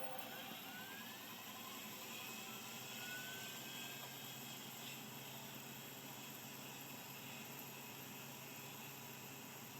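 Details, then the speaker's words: Vintage hard drive, possibly Seagate ST137R, on test: faint rising spin-up whine with irregular light head ticking; it seems to start seeking before fully spun up, though it may have passed its seek test. "that sound of like it started seeking before it was done spinning up but uh that might have passed it seek test"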